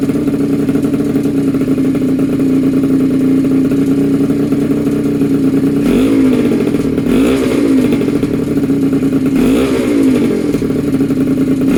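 Small two-stroke holds a steady buzzing idle, then blips up and back down cleanly twice; it runs even and healthy.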